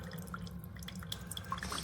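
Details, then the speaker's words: Chefman single-serve K-Cup/ground coffee maker brewing normally; soft irregular drips and trickles over low hum, nothing rattling, quieter than a Mr. Coffee. "It's quiet. It's actually quieter than this one. It's quieter than the Mr. Coffee, so that's good."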